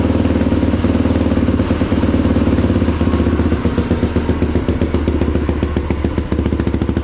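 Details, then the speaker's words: Polaris Predator 500 with DG exhaust: deep, even single-cylinder thumping at a steady idle with a crisp exhaust bark and no knocks or rattles; runs healthy. "we'll get it fired up so you guys can hear what it sounds like with the dg exhaust"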